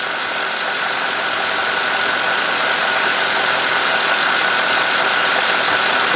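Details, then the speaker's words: GM 4.6 V8 (Cadillac DeVille class), warmed up, after intake manifold gasket replacement for rough surging idle. 649–650 rpm, closed loop, long-term trim near -2. Steady even idle, smooth hum, no surging or hunting; healthy. "I thought the engine was kind of racing, but it's not. It says 649 650. That is perfect, man."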